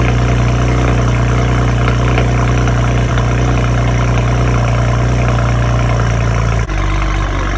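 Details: BMW 335i N54 at cold start: rough idle with a deep drone and an uneven, slightly lumpy pulse; a misfire is suspected but not confirmed.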